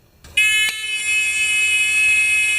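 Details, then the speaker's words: Discovery metal detector pin pointer after hooking the battery back up: strong, steady high-pitched intermittent beep without dropouts; buzzer working properly again. "So now it should start intermittently beeping once I get this battery hooked up."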